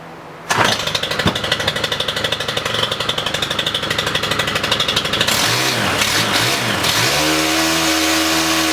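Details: Stihl HT-101 pole saw, first start after shaft repair/replacement: pulls over quickly, revs high and smooth, then settles into a steady, even idle with no rattles; a healthy two-stroke, repair successful.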